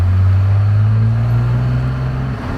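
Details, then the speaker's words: Cummins diesel truck that wouldn't rev over 2000 rpm and lost power, after a new lift pump was fitted: a strong, low drone climbing a long steep hill in third gear under load with no stumble or surge. It pulls decently. "that was pretty decent i don't know if that's quite what i remember it doing"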